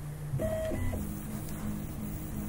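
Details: Prusa i3 MK3 with TMC2130 drivers, running calibration on b143 firmware: soft, even stepper hum with short tonal chirps as the axes move, no grinding or skipped steps; normal stepper motor operation.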